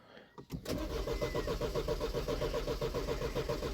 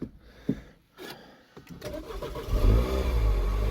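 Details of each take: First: 2009 Mini Cooper R56 (stated as 1.4 and as 1.6 litre), about 50k, plugs cleaned: even starter cranking for about ten seconds without firing; codes showed inlet and exhaust camshaft sensor faults, and it started after both sensors were replaced. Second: 2009 Mini Cooper R56, 50k on the clock, non-starter with inlet and exhaust camshaft sensor fault codes: after replacing both camshaft position sensors it cranks briefly, catches and climbs into a strong, steady rev with no misfire.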